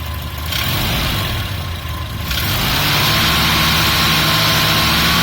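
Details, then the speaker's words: Volvo Amazon with B20 engine starting and revving; fast light clatter rising with engine speed, owner unsure if valve-related; engine ticking/knocking, source unclear. "There's some kind of clattering from the engine, knocking sound. I don't know if it's valve or yeah, whatever."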